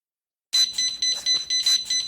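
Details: PG Drives VR2 joystick controller on a powerchair: high, shrill beep repeating rapidly without pause, about four times a second, signalling a fault; cause suspected, not confirmed.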